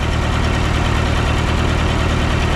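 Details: Massey Harris 30 tractor after the oil was burned out of its cylinders: low even idle with a steady beat and no skips or knocks; running smoothly, though the fuel sediment bowl is leaking gas.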